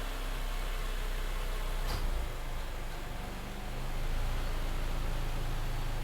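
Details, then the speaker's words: Honda Element, warm, with AC on, after battery disconnect and idle learn procedure to fix low fluctuating idle: quiet, even hum with no hunting or dips in speed. Normal idle. "idle seems stable we're all good"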